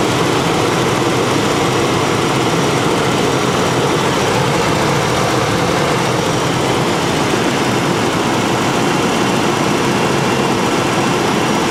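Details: 1992 first-gen Ford Explorer after fuel pump replacement, first run since 1998, heater blowing, thermostat suspected missing or stuck open: steady even engine drone under loud fan rush, no knocks, misses or surging; normal idle.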